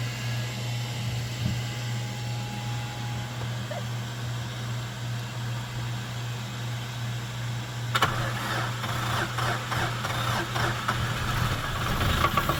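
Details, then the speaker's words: Ford generator on a 1981 70' Hatteras yacht running with a constant low drone and steady hum. It gets louder and busier from about eight seconds on but stays even throughout; it runs well. "that one sounds good can you go outside and see if you see water coming out with the exhaust"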